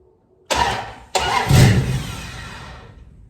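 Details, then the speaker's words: 1973 Dodge Dart cranking after rewiring, cold rainy day: two laboured cranking bursts, starter dragging and slowing against compression before firing; hard cranking from slightly too much ignition advance, timing close to right and still to be dialed in. "So you hear how it's kind of struggling? I got a little bit too much timing. It's struggling to turn over, so it means we're getting really close to being where we want to be at."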